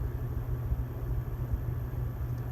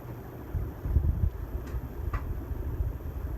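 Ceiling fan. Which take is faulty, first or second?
first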